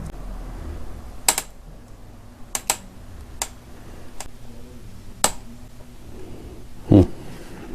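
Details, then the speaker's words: 3000W-peak dual-hub-motor 52V 25Ah 24-inch fat-tire e-bike after a 21-mile ride: sharp irregular creaks as the rear shock is worked, caused by overtightened rear shock mount bolts, fixed by loosening them to snug. "I hear it this creaking which means it must be too tight"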